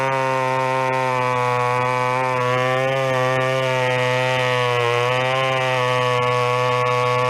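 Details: Vintage chainsaw, unknown when last run, chain a little dull, cutting a 14-inch piece of wood: high, steady two-stroke buzz held at speed with only slight pitch wobble and no bogging; runs strong, normal.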